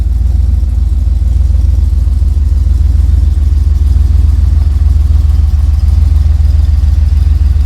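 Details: Ford Ranger rock crawler "The Mutt", first start after build with new Magnaflow exhaust and dump: deep, even exhaust burble holding a steady rhythm, no misses or knocks; fires right up, runs and sounds good.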